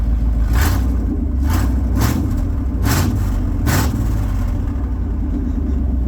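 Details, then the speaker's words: V8 truck with both catalytic converters cut out before the new cats and X-pipe go in: deep, loud, raw open-exhaust roar with several short revs, reminiscent of an old Ford truck. "Alright, I finally got both catalytic converters off. Now let's see what she sounds like. Oh yeah. She sounds like an old truck. That thing sounds crazy. It's so loud though."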